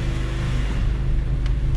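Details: 2002 Honda Civic Si EP3 hatchback after IAC valve removal and cleaning for a surging idle: steady, even low idle with no hunting or surging, no check engine light; normal idle.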